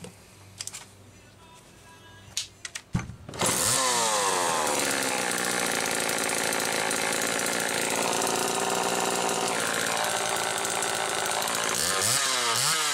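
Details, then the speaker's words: 1974 Homelite XL-2 chainsaw after a replacement condenser/ignition assembly restored spark; catches after a few pulls and runs a steady, even high-pitched buzz with clean revving and no missing; normal running. "running perfect so it needed a few other little things like they most always do"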